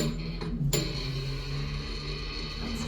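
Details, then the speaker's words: 1980s Dover Oildraulic hole-less passenger elevator, modified in the early 2000s with a replaced controller, motor also not original: harsh, buzzy, off-tone arrival chime over a steady low hum; the bell is dying. "Bell sounds terrible. I said the bell's what's not the door, that bell sounds awful."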